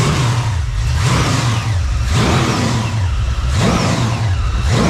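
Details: Freshly built Chevy small-block 350 (roughly 355) on first test run, still cold before heat builds, idling about 750 rpm with oil pressure up; deep even V8 burble with light throttle blips, no knocks or ticks, healthy idle.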